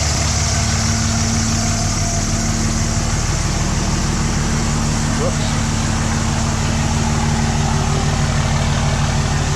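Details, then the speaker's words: 2006 Dodge Ram 2500 4x4 Cummins diesel after intercooler/aftercooler replacement (CSF 6072), in drive against the brake with throttle: steady deep drone under load, no hiss or whoosh; no boost leak heard. "trying to see if I could hear that boost leak again, but I heard nothing"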